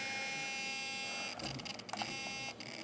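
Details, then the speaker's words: Traxxas Slash 4x4 Ultimate RC truck sitting powered and still: thin, steady, high-pitched electric buzz, with brief handling noises midway; owner suspects the servo, cause not confirmed. "Hello guys, there's this weird buzzing noise. I think it's the servo."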